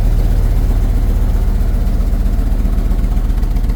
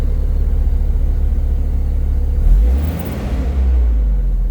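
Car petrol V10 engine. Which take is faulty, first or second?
first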